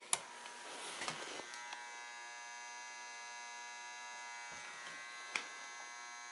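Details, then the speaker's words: Mercury vapor yard light ballast transformer after replacing the capacitor, photocell installed, no bulb: loud steady electrical buzz with a harsh raspy edge and sharp clicks; ballast is faulty and noisy. "quick blip oh we can easily hear it buzzing from here"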